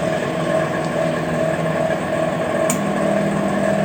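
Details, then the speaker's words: Microwave after replacing a failed capacitor and blown fuse with parts from an old unit, timer set to 2, turntable turning: constant hum with soft tone pulsing about twice a second, rising and falling; heating normally after repair. "จะฟังจะได้ยินเสียงนะครับว่าเขาจะมีการทำงานนะครับของระบบของเขานะฮะดังขึ้นดังลงดังขึ้นดังลงนะครับ"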